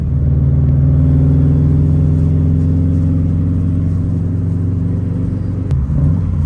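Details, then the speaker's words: Subaru WRX without resonator on test drive: deep, even exhaust drone under steady load with no rasp; earlier raspiness was suspected from a missing exhaust manifold nut and now sounds good. "the car sounds a little bit better so I'm assuming that one of the nuts which is three nuts for the exhaust manifold one of them left the chat early cuz my car SED like a little raspy and it kind of sounds good now"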